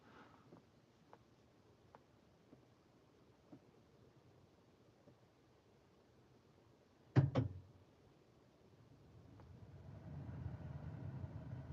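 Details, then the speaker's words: Tesla installing the 2020.48.26.1 FSD Beta 9 software update in cold weather: faint scattered ticks at the front of the car, a sharp double clunk, then fans rising into a steady whoosh as the car comes back to life. Normal relay switching. "Oh, wow, there's so many click noises. I don't know if you can hear this. There's like clicking in the front of the car now."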